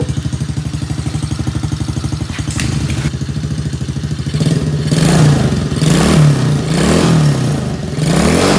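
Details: Small Chinese kids ATV single-cylinder after carburetor cleaning, on jumper battery: even thumping while warming up, then a few clean revs rising and falling smoothly — normal warm-up running.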